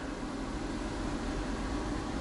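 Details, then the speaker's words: RV gas furnace, zone one set to 77 with about 41 degrees outside in snowy Ohio weather, after a footstool blocking the intake was cleared: steady, even rushing hum of air with no rattles or surges. The furnace blower is running normally. "make sure this intake is not blocked which it currently is my footstool make sure that heat kicks on"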